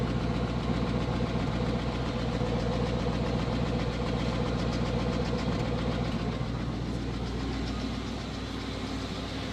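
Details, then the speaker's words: 1980 Chevrolet Scottsdale 350 V8 pickup parked 26 years, recorded from the rear at the mufflers: steady even low rumble, smooth regular pulse, no knocks or misses; charging, good oil pressure. Finding: normal idle. "But yeah, this truck is sounding super good. That's a good running 350 right there."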